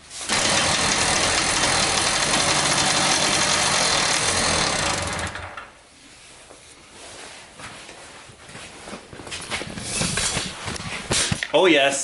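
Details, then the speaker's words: Tomos two-stroke moped on fresh 50:1 semi-synthetic premix: fires into a loud, raspy buzz for about five seconds, then drops off and won't keep running; cause not yet known. "runs uh now i just got to figure out how to keep it running so"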